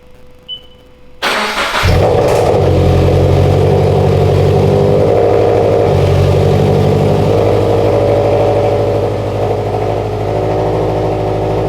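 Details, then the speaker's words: Toyota 86/BRZ/FRS after installing Deatschwerks 900cc injectors and fuel pump, fuel pump primed then started: brief crank, catches cleanly and settles into a smooth, even low idle; normal start and idle. "We'll prime it, and we'll try to start it. If it starts, then I did it right."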